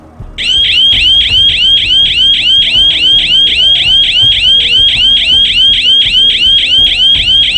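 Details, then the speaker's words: 12-volt alarm siren without light, bench-tested: a piercing, loud, steady high warble sweeping up about three and a half times a second; siren sounding properly. "I don't know if I can do that three times my ears are buzzing now and we hadn't got to the big one yet"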